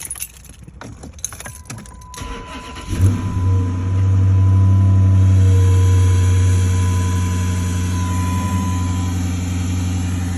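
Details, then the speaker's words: 2009 Dodge Charger/Challenger, sat 8 years, fixed after a crank-no-start with clicking (fuel pump and relays, MAF, injectors checked): cranks a few seconds, catches and settles to steady even idle, no misses; runs well, only an ABS code remains. "ABS code, but other than that, it runs like a champ."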